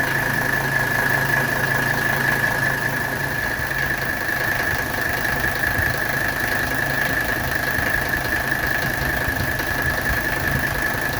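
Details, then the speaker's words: 1985 Mercedes 300SD diesel at idle during AC recharge: steady high squeal with faint chatter from the compressor area, caused by a freshly fitted compressor belt that is too loose and needs tightening. "you can hear there's a little chattering coming from the compressor area that's because that's a fresh belt and I need to tighten up the belt a little bit if you don't have the belts tight enough you'll get chattering from the compressor"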